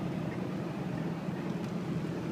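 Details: Ford 7.3 turbo diesel running cold with a loud, steady, deep rumble and rough clatter; no distinct knock or whine, cause unknown.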